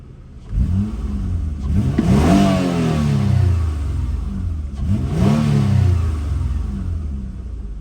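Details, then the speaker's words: Galant Ralliart with the 3.8 6G75 MIVEC (266 hp stock), very factory-sounding stock intake and exhaust, revved freely twice with a clean, smooth rise and fall, no knocks or rattles: normal free revs. "very factory but doesn't sound too terrible not bad could stand for a little intake exhaust but you know it's fine as is"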